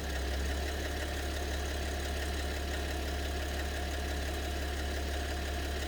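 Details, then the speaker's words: BMW 730d with M57 (306D3) diesel at idle; uneven ticking clatter about 2-3 per second over low idle hum; owner suspects maybe two cylinders, cause unconfirmed. "Вот самый тихий тоже вариант. Вот цокот появляется."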